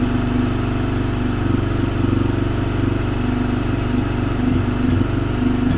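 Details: Small single-cylinder motorcycle engine idling steadily off choke at about three and a half beats a second after the choke cable and throttle were checked; the engine idles normally.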